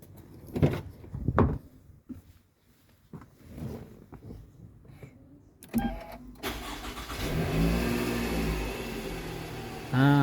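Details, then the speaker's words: Toyota Alphard ANH20, high mileage, after replacing the balancer shaft plus oil and a genuine Toyota oil filter. A few clunks, then it starts and settles into a smooth, even idle with no knocking. Before the fix it ran very rough from restricted oil circulation. "suara mesin sudah normal ya, sudah halus. Tadi sebelum dilakukan penggantian balancer, suara mesinnya sangat kasar. Nah, ini suara mesinnya udah normal lagi ya."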